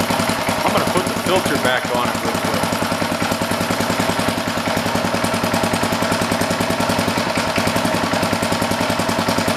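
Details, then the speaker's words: Old rototiller (guessed late 1960s–70s) with a Briggs & Stratton single-cylinder engine putters at a brisk, fairly even three to four firings per second; smooth normal idle. "cool sounds real good I'm gonna put it outside here quick and just let it run for a while let it burn off whatever will sit"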